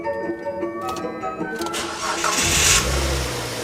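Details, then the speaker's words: Insurance-auction wrecked car repaired at home, after refilling empty radiator coolant: starter cranks briefly, engine catches and settles into even idle without knocking, much smoother than before repairs. "Ooh, yeah, that is a lot smoother than before."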